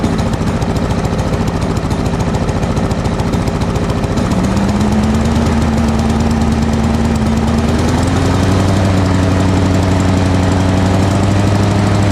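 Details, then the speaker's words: Lawn mower single-cylinder with carburetor swapped from another mower, governor spring suspected out of adjustment: steady busy chug at fixed pace, pitch stepping up slightly but never reaching full revs; runs but lacks power, cause unconfirmed. "it's running but it's not really it doesn't really have full power"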